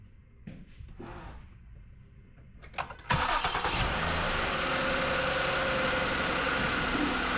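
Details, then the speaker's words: 2008 Ford Taurus with high steering effort, after bleeding the power steering and topping up fluid: engine cranks, catches and idles with a faint steady pump whine from air in the system not yet bled out. "got a little air in it so that pump is going to make a little bit of noise until we get it bled out all the way"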